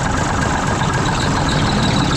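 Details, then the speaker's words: 1974 Mack R Model diesel after bent pushrod replacement, with valves rechecked and throttle set: idles down to a deep, steady rumble with no hunting, knocks or misses, running pretty clean with stuff to burn off; normal idle. "see how that idles down that's still going stay right there I did go through recheck all the valves should be pretty good there running pretty clean"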